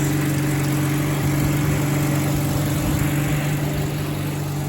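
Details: Rover P4 80 idling after the final ignition lead, the coil lead, was replaced, completing the new leads fitted for pinging and a suspected insulation leak; steady, even low idle hum with no misses or stumbles, running cleanly.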